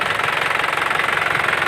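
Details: Isuzu Panther LS 2008 diesel; rapid, even clatter at a steady idle, no misses or stumbles; normal healthy running.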